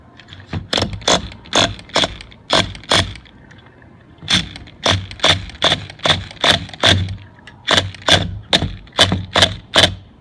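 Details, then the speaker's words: Nitro-engine-swapped Losi Mini-B RC buggy, glow ignition on, start attempt: sharp, irregular clicking bursts about two a second, engine not catching; pull starter slipping, owner suspects one-way bearing problem. "oh the pole starts doing this again to me it's a one-way bearing problem so let me figure that out"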